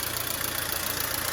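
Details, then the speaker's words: Mercedes-Benz W212 M271 at idle, oil level full: quick light ticking from the top end as the hydraulic lifters knock again; the owner suspects antifreeze entering the oil, having seen greenish foam under the cap. "ма с гидравлическими толкателями клапанов снова возникла. Они снова начали стучать. Вот так, по сути, они и гремят."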